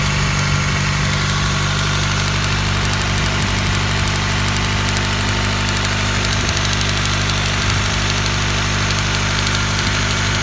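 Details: Honda Prelude H23 petrol engine idling steadily, with a light, fast ticking over the low hum.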